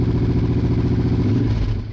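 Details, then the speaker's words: Honda Bros/Hawk GT 650 V-twin, late-80s, just started cold after battery recharge: lumpy, uneven firing with missing beats, running on one cylinder until both cylinders pick up shortly after. "that's like it's running on one Oh"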